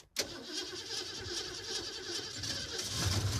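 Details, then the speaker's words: Rusted 1969 Mustang neglected 27 years, first start with fresh radiator cap and can leak-fix in leaking radiator: catches quickly, settles to surprisingly smooth, even idle with no misses or knocking. Normal cold start. "wow nice wow this is surprisingly smooth it runs mint"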